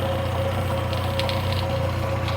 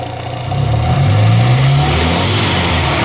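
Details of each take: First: Classic Morris Minor revived after years off the road, running after distributor and mixture screw adjustment: quick even ticking over a steady low idle; the fuel pump is making strange noises and may be replaced. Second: Classic Morris Minor back running after years off the road, just after the distributor was tweaked and the mixture screw adjusted: engine picks up cleanly from idle and holds steady revs with no stumbling or hunting; normal revving.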